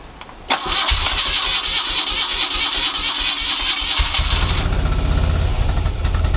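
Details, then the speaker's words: 1975 BMW R75/6 boxer, about 140,000 miles, off road over a year, full choke, neutral: starter churns briefly, catches into fast even idle; healthy first start in over a year. "so that's the first time it started in over a year"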